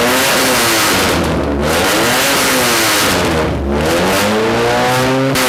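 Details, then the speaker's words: Budget rat rod truck after radiator leak repair, started a little warm with no choke and some throttle: revs climb and fall back smoothly with no knock or miss, noisy at idle; normal running, reached operating temperature with no leaks. "too loud I don't know if you can hear me that's at the idol this thing is noisy"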